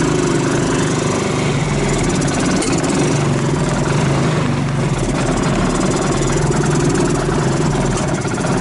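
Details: 2014 Linhai Big Horn 400 UTV single-cylinder, died on first outing after pinging; carburetor found clean, spark lost; thumps steadily at low speed then fades and stalls; restarted after plug change, portable CDI ignition and harness rework, still not running right.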